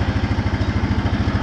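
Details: 2014 Honda Foreman 4x4 TRX 500 FM1 ATV, 444 miles, cold start: electric fuel pump needs a moment to refill the drained line, then a steady, even single-cylinder thump, about twelve beats a second, nothing else on it; normal healthy idle.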